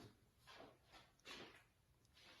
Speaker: hopefully you can hear see the clearly it's coming from this bracket so i hammer in i think uh the noise is coming one this bracket and this uh joist is popping up a little bit when it's heating up and cooling down